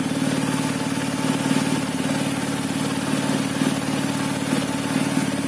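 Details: TVS Apache RTR 200 BS6 single-cylinder motorcycle at idle: uneven, lumpy beat stumbling irregularly, misfire blamed on dirty fuel injector and throttle body, fixed by cleaning both.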